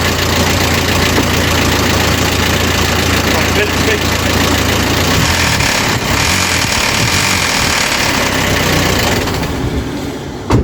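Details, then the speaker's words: Audi TT Mk1 1.8T Quattro 225bhp manual at idle: loud, uneven metallic timing chain rattle, easing above about 2,300 rpm or on a blip; hydraulic tensioner starved of oil loses tension, so the chain slaps the timing cover. "yeah so the charming timing chain is hitting off the time and cover and that's what's causing the rattle because of the chain tension"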